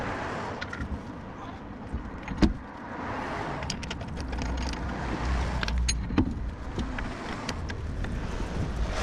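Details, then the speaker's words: 2010 Citroën C1 rear wheel bearing hub, wheel spun by hand before replacement; low steady roar from the worn bearing. "I'm hoping you can hear this roaring sound coming from the worn bearing."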